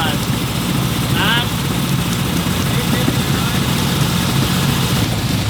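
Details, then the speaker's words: 1967 Chevy Camaro RS hot rod V8 with dual throttle bodies: lumpy, uneven idle whose rumble keeps rising and sagging; the dual throttle bodies aren't working with this intake, too much fluctuation, and the plan is to swap the intake. "what we ran into is actually that these dual throttle bodies aren't jing with this intake. uh there's just too much fluctuation."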